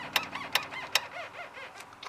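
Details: Older car's steering column squeaks as the temperature changes; quick rubbing squeaks with sharp ticks about twice a second, traced by ear from underneath to a dry seal in the column.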